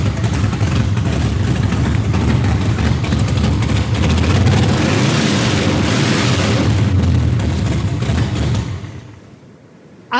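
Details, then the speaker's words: Chevrolet Performance 632 big-block crate engine in Project X, blipped on primaries only with the secondaries unopened. A deep, loud V8 roar rising and falling with crisp throttle blips, then cut off; clean, strong running with no knocks or misfires. "So, not only was it bad gas powered, but it's got some killer power behind it as well. >> It does. That was primaries only. Secondaries didn't even crack."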